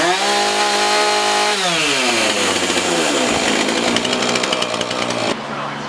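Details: Husqvarna 450 X-Torq chainsaw, after carb diaphragm, primer, fuel line, filter, rope rotor and sprocket repairs and chain sharpening, test run on the bench: clean steady buzz, rpm climbs and falls evenly before shutting off; runs smooth and healthy.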